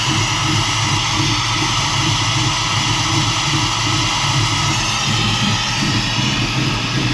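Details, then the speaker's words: Truck with ACES EFI and Killshot timing control, cold engine with untouched cold-start settings: steady idle roar with a heavy hiss, loading up on excess fuel spraying in, rich cold idle. It has been randomly dying while driving. "that's an awful lot of fuel spraying around in there I haven't done anything to the cold start settings at all so that's that's how it is you can smell it loading up"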